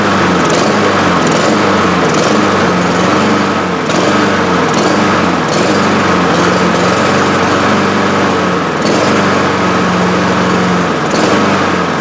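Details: Honda HRR2156 push mower that runs and dies, new carburetor fitted last season. Engine runs but hunts and stumbles with uneven surges about once a second instead of a steady governed note; intake air leak found.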